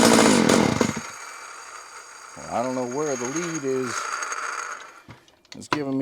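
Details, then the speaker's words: Homelite 330 chainsaw after teardown and carburetor repair, turned on its side while running: burbles at a wavering idle then sputters and dies in uneven cuts; intermittent ignition loss from a coil wire chafed near the muffler, fixed by rerouting the wire. "That was 100% ignition. loss of ignition. That's what we were hearing there."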